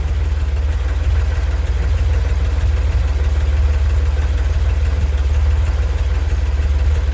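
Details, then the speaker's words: Corvair (Lakewood) engine at idle after a transmission shift test, charging 13 V from the alternator: steady low idle with a faint, loosely regular tick about three a second; the owner dislikes the noise and its source is unidentified. "i'm not a fan of that noise but i'm going to check and see what kind of charging voltage i have"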